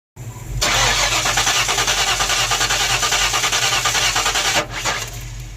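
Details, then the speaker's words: 1994 Ford Mustang GT convertible, battery about 11.7–11.8 V, being jump started: starter cranks steadily about three turns a second but no start, extremely weak spark even with new coil; fault suspected between coil and distributor. "Still won't start. Still extremely weak spark."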